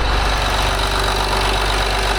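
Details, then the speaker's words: 2008 Land Rover Discovery 3 TDV6 diesel after rebuild, running without noise cover or injector covers: loud steady low clatter with an even rhythm, healthy idle. "The sound we have sounds like a rough diesel engine. Okay, which this is. And we also do not have a noise cover on it."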